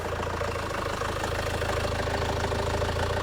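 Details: 2002 Renault Master 2.2 dCi with intermittent crank-no-start and missing, after fitting genuine parts and heater plugs, low on fuel, air box off: steady, even diesel tick-over with a regular low throb, no knocks, misses or hunting; normal idle.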